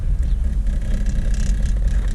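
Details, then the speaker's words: 1993 Corvette with LT1 V8 and automatic, on its first test drive after an oil leak fix: a deep, steady roar pulling smoothly up top under throttle, with no knocks, misses or rattles. The engine sounds healthy. "um but the engine sounds healthy it it roars when it's going up top it's pretty nice"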